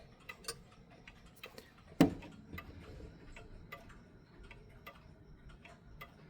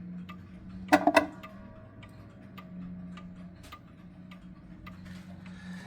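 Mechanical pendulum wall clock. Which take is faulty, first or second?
first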